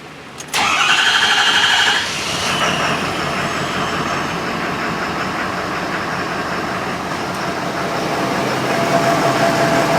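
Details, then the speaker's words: 6.7L diesel with diesel exhaust fluid (DEF) in the fuel tank, started briefly on fuel supply from a container: cranks, catches, then uneven lumpy rattle, not happy, burning through fuel fast; rough running from DEF-contaminated fuel. "we started doesn't sound very happy though see how fast while fuel is returning sking pretty bad got Char there for the hose off not happy at [Music] all"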